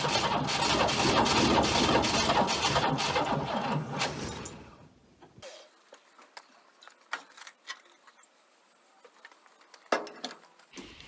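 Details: Abandoned Chrysler Valiant VG, not run since 1997; first start attempt after fitting distributor (slant-six dizzy), battery, coil and leads. Steady rhythmic cranking with ragged catch attempts about four seconds, then dies; won't keep running, timing/fuel suspected.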